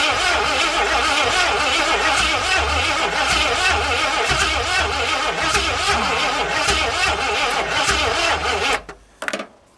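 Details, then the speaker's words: 1981 Ford Mustang 302 V8, automatic, open headers, carburetor fed by hand, first start attempt after years parked: steady starter cranking with rhythmic compression pulses, never fires; engine flooded. "I flooded it."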